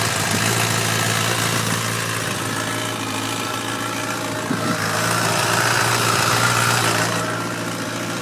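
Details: 2011 Kawasaki ZX-10R, 4000 km, rattles at idle and 4000–4500 rpm: steady four-cylinder idle with a fast, light metallic rattle; cam chain tensioner rattle, sound gone after the tensioner was replaced.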